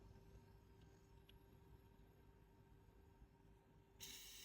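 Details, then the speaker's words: WE Browning Hi-Power gas BB pistol magazine just filled with red gas: near silence, then sharp steady hiss of gas venting when tipped up; leak suspected from a seal rather than the fill valve, not confirmed. "oh there you go vents bents when you tip it up but you can hear it and I can you know I can't tell where that's coming from a feeling it might be coming from this seal rather than the fill valve not too sure"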